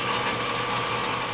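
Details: 30-inch Covington lapidary slab saw after replacing a melted drive pulley; brief smoke smell at start, thought residual from a burn spot. Steady, even mid-pitched whir with no squeal, rub or rattle; drive runs smoothly.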